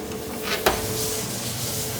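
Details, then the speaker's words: Whirlpool Roper dryer: steady drum motor hum, a sharp click as the door opens mid-cycle, then the motor keeps humming unchanged instead of shutting off; must be stopped manually with the timer; suspected faulty door switch. "the drive's still running but it's not supposed to be so now you have to come back up here manually turn it off with your timer"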